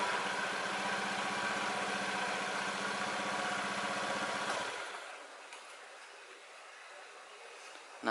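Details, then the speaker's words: Honda Beat scooter before repair, revved then throttle released: a droning hum from the CVT that is loudest when easing off the throttle; a worn rear pulley bearing is the usual cause. "jadi Suaranya kayak gitu ya begitu turun gas begitu turun gas langsung ada suara mendengung suaranya sih rata-rata kalau kerusakan kayak gini itu ada di bearing ini ya bearing belakang"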